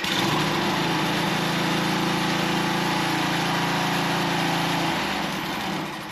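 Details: Small two-stroke unit, air filter screen still needing replacement: holds a steady high buzz at throttle, then eases off cleanly around five seconds; runs smooth and healthy.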